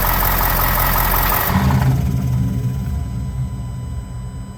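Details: 2020 vehicle that makes this noise often, which the dealer said not to worry about: an idling engine with a loud hiss and rattle that cuts off sharply, leaving an uneven low rumble. Unexplained recurring engine noise, cause unknown.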